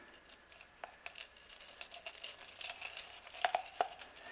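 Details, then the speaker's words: 1995 Honda Accord CV axle being replaced: the old joint, packed with chunky dirt and grease, gives dry gritty crunching and clicks when flexed; it should make no sound. "The amount of dirt and grease or the dirt that's in here you can see how chunky that is that is rough can hear that grinding"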